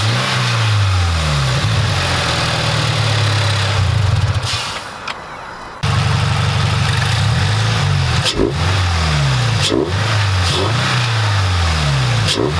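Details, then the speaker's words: Subaru BRZ 2.4L boxer just after K&N Typhoon air intake install, no dash lights: repeated smooth rev rises and falls with stronger intake roar, clean between blips; healthy engine. "Alright, it's finally installed. I can hear the difference."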